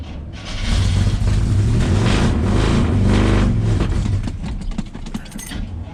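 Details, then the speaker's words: 1976 GMC C15 Squarebody, long-abandoned, cold start at 13 degrees: starter drags the engine slowly with a laboured, uneven churn for several seconds, no fire; slow cranking, weak battery suspected, started after charger boost. "so let's see if the old Bad Chad Square fires up. Pretty slow moving. Come on, girl."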